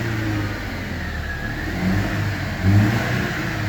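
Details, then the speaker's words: Mercedes W211 E200 after cleaning water-damaged plugs and coils and clearing codes (no faults): even engine hum with a smooth rev blip and no miss or shake, where it previously misfired badly. "Missing अब बिल्कुल ठीक हो गई है, बिल्कुल मिसिंग नहीं कर रही गाड़ी, बहुत ज़्यादा मिसिंग कर रही थी पहले।"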